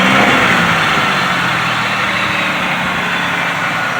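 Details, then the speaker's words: 2005 Pontiac Bonneville after a head replacement with 2006 Grand Prix series-three heads, bigger valves and all new parts: a steady, even, smooth idle with no ticking, misses or rattles; a slight transmission fluid leak at the cooler lines. "it sounds like a new car i know it runs so smooth"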